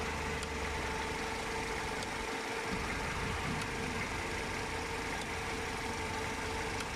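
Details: 1999 Mercedes-Benz SLK R170 at idle: a faint, sharp, low-frequency tick about every 1.5 seconds from the engine bay, first noticed at 200 km/h on the Autobahn. It is a partially stuck heater duo valve solenoid clicking; the valve came unstuck after being worked.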